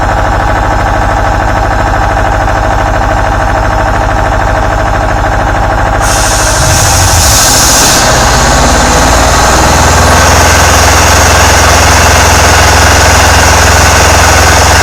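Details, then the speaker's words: Deutz 1011 two-cylinder diesel driving an air compressor, after being taken apart and repaired for very rough running, fuel system not bled: no smoke, steady even idle with firm regular beat, settles smoothly after a brief throttle change; normal idle. "no smoke nice and smooth sounds good"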